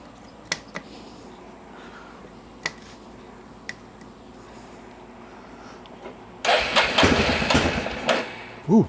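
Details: 1994 Yamaha Big Bear 350 ATV, sat for years, fresh fuel and new air filter: few clicks then single fires around six seconds into loud rising run on choke; something seems to be over-fuelling.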